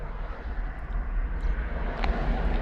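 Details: 2002 Nissan Sentra 1.8L in drive: deep, slow, labouring rumble at about 600 rpm, below the 800±50 spec; rpm returns to normal in neutral. Low idle caused by a clogged bank 2 catalytic converter.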